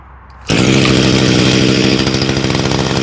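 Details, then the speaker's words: Echo SRM 2400 two-stroke trimmer, primed, starts on the first pull on full choke after a carb rebuild, runs at a high even buzz without stumbling; earlier it started but wouldn't rev, and clearing the spark arrestor hadn't helped. Normal start, sounds like new. "Started on the first pull and she sounds like brand new after a carb rebuild."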